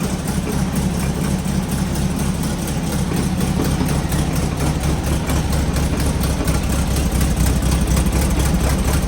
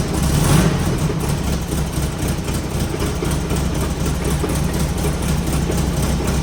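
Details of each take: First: Engine installed new in fall 2018 with low miles: steady low idle rumble, even firing, no knocks or misses; runs great, though an aftermarket fan shroud occasionally bumps the fan. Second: Rough low idle from an engine fitted new with low miles, with faint irregular tapping now and then as the fan bumps the aftermarket shroud; nothing major.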